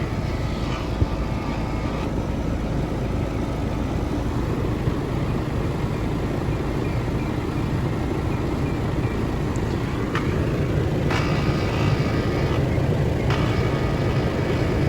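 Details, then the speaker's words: Trane XR13 4-ton (48,000 BTU) outdoor AC unit from April 2009, R-410A factory charge 7 lb 4 oz, subcooling about 10°. At startup the compressor gives a rough, uneven droning rumble with a coarse churning edge and sounds unhealthy; cause not confirmed. "good noise on the compressor start up at least yeah that compressor really sounds like [ __ ]"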